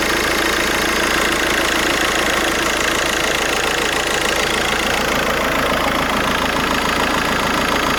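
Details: VW Golf 5 with 1.9 TDI 77kW diesel at idle. A busy, rattly ticking of about three to four a second over the diesel clatter; the owner suspects a bad alternator. Abnormal noise at idle, cause unconfirmed.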